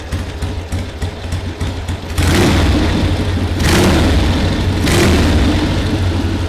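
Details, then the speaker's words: 1979 Harley-Davidson Ironhead Sportster XL1000, first run in at least 25 years: lumpy, loping V-twin thump at a steady low idle under wind and handling noise; running evenly and healthy. "we now have it running idling and it's just awesome going to let it idle for a while"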